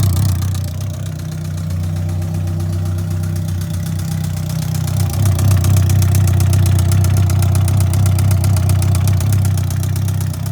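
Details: 2003 Yamaha R1, 31k miles, bad starter so push-started in 2nd gear: sharp even ticking about four a second from the top of the engine over a steady idle, louder as revs rise; top-end knock, owner assumes rebuild needed.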